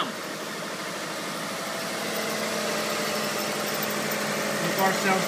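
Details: Healthy 1994 Subaru Legacy EJ22T idle after replacing two exhaust-side hydraulic lifters to cure a knock/tick: even, smooth pulse around four beats a second with no tick or tapping; sounds good so far.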